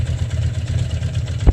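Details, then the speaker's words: Motorcycle with 60,000 miles, warmed up, idling in neutral: a steady low rumble with a faint rattle that goes away when the clutch is pulled in. Owner suspects a bearing but the source is unknown. "so really it sounds like a bearing or i don't actually know what the sound is we'll let the clutch out and you can hear it again that's it"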